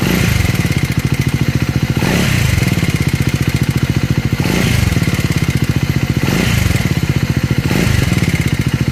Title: #scrambler400x #speed400 #enginenoise#スクランブラー400x#スピード400#エンジン異音#マフラー音#エンジン音